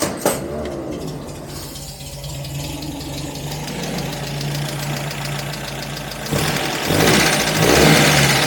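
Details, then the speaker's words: 1949 MG TC after exhaust leak repair and tune-up (dwell set, carbs leaned slightly), warm after a test drive: steady, even idle with no misses or exhaust puffing, then light revs. "No exhaust leak anymore. Running really nicely. Good idle. Not missing anymore."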